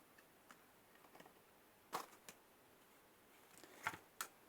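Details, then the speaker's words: GB40 jump-starter booster connected positive first to a car battery: after a 2-second delay it switches on, and the internal relay gives a handful of sharp, uneven clicks over a quiet background while sending 14–15 A; normal operation. "ça s'allume donc ça a mis 2 secondes il s'allume et on entend le relais qui claque claque claque claque claque à l'intérieur il y a un relet à l'intérieur là"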